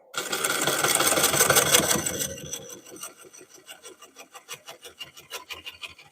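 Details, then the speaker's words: Lathe turning a cracked cork oak bowl. A dry scraping cut carries a steady rapid tick, about three a second, as the gouge hits the cracked section every revolution. "You hear it tick, tick, tick, tick, tick, tick, tick, tick, tick. It's ticking, hitting on this every time it comes around."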